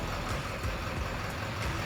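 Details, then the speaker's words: Ford 7.3 Powerstroke diesel just reassembled after a blown head gasket rebuild, idling on its own; steady deep rumble with faint light ticking, likely from an exhaust leak due to a left-out exhaust bolt; normal idle. "Well, we got her going. She is idling now all on her own. It's 4 in the morning,"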